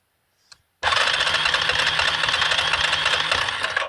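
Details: 2003 Yamaha Kodiak 400 automatic ATV cranking steadily at about four beats a second with no firing, even at full throttle. It has spark, water in the oil despite repeated drains, seemingly no compression, and flooded; cause unknown.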